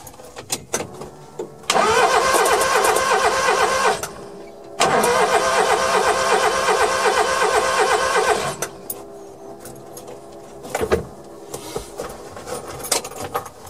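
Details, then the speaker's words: Suzuki Carry mini truck cranked with a spark plug out to check for spark; the plug tip was very black. Two long bursts of even cranking with no firing. No spark found; owner suspects the coil or distributor wiring. Crank no start. "no spark so i'm trying to figure out why i wasn't getting any spark"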